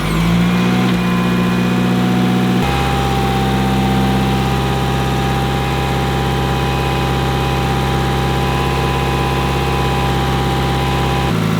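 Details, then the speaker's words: Mitsubishi Evo 8, off the road for five years: steady, even idle with a deep exhaust note now audible and no misses or stumbles; idling much smoother. "idling way smoother and on top of that you can actually hear the exhaust now"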